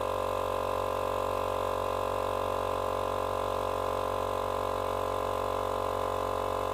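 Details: Small portable tyre compressor, which had stopped and run very hot from a seized bearing, now running after bearing replacement on its first cycles: steady, even hum with a smooth pulse of about three per second, no knocking or grinding; normal running.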